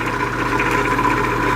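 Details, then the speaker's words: 1950s Patton 18-inch High Velocity fan, 3.2 A GE shaded-pole single-bearing motor, hot and running slow: strained, rough drone with a steady growl; the shaft is binding in its bearing from end cap pressure, and the owner wonders if the oil is too thin. "bit it's not running at the speed it's supposed to be running at motor is really hot sounds terrible"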